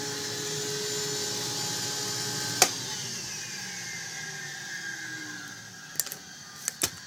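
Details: Older Electrolux vacuum with new cord, roller power switch: steady high motor whine, then after switch-off pitch slides slowly down over several seconds in a long wind-down; normal running and wind-down.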